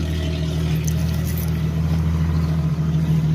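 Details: Jeep ZJ (Grand Cherokee) after replacing the rust-holed, rock-damaged stock muffler with a new exhaust: a deep, even exhaust rumble at steady idle with no rattles or blowing and a healthy muffler note. Normal exhaust note.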